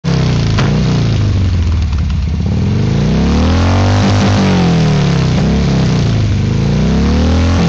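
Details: Harley V-twin revving: several sharp pops crack through the exhaust as the throttle rolls off; exhaust backfire.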